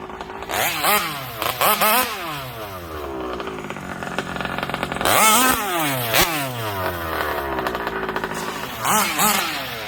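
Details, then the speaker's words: MCD XR5 71cc minibike started after refueling, following kill switch, engine mount, gas tank and brake linkage installs: clean idle and crisp repeated revs, no knocks or rattles; runs healthy. "so start it up good idle good and uh time to take it up down the street a couple times"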